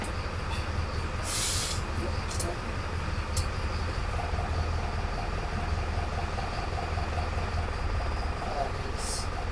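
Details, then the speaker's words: 20-year-old Mercedes Vario diesel campervan after winter stored with flat batteries, booster-started; steady low diesel rumble with short air hisses, no knocks or misses. Normal idle. "I'm going to let it tick over for a little while whilst I have some dinner."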